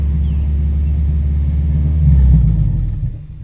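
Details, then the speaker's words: Lifted Subaru GC8 after new plugs, wires and ignition coil: smooth low idle, one quick throttle blip rising and settling cleanly, no near-backfire or shaking as before; normal. "i think we found our issue this is how smooth it is now"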